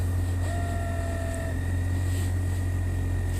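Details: 2007 Toyota FJ Cruiser at idle, VHF radio on, before the fix: a thin steady tone in the radio over the engine hum, present from ignition-on and worse when driving. Grounds are good; a homemade filter later fixed it.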